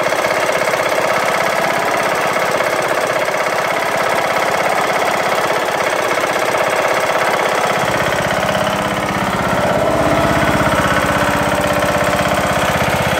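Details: Briggs & Stratton lawn tractor engine after replacing broken camshaft and timing gear, idling with a loud even knock about three per second; owner suspects flywheel-area wobble from misalignment or something loose.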